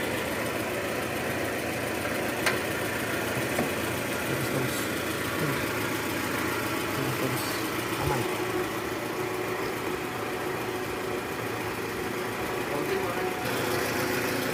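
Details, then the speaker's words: 2013 Toyota Alphard 2AZ-FE engine after replacing a destroyed oil-pan-area balancer shaft that caused rough engine noise: smooth, quiet, even idle with no grinding or rattle; engine now runs normally. "sekarang suara mesin jauh lebih halus jadi memang penyebab suara kasar di awal tadi itu adalah balancer shaft yang udah hancur"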